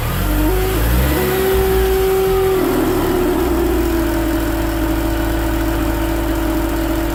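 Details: BMW Mini Cooper R53 with refitted supercharger: steady whirring tone over the engine, constant through all rev ranges for 12 months; supercharger oil starvation from a collapsed oil tube between rocker cover and supercharger, found and fixed.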